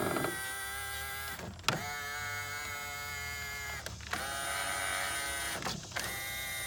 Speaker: looks like that one's working just fine